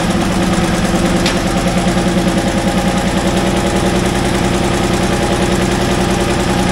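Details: Cold start of an International wheel loader diesel that sat 8 years, after its injection pump rebuild, with a booster for cranking: loud, lumpy, uneven idle of about 2.5 beats a second. Owner suspects poor injectors and off timing.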